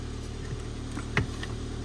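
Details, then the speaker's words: Race Red Ford Fiesta, engine just reassembled and started, revs slightly high before warming up, low on petrol; quiet steady idle with smooth low pulse and light clicks, ticking over nicely, normal idle. "actually taking over really nicely so I think I'll just leave it running for now"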